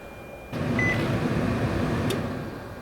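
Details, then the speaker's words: Nissan Titan cabin blower after replacing the automatic climate control resistor and blower motor: it clicks on and settles into a steady, even rush of air at intermediate speed, now working normally. "So you can hear it clicking on and off, and it's blowing at intermediate amounts, so that's nice."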